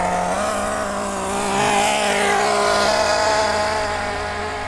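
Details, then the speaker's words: Nitro RC car (MP9) during break-in, running slowly in circles for 2–3 tanks: high buzzy engine holding a steady, soft note without crisp revving; deliberately rich running-in tune. "It won't take long because it's running so rich, it's just stuffing it down its throat."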